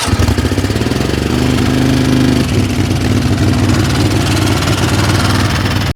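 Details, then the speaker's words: 20 HP Craftsman riding mower engine that ran but lacked power and stalled under load: lumpy, uneven idle with a stumbling beat, sounding like one cylinder missing; suspected spark problem, possible compression problem or loose valve, unconfirmed. "It sounds like you definitely have a spark problem. May have a compression problem. You can hear a little bit of noise. It sounds like you got a loose valve possibly."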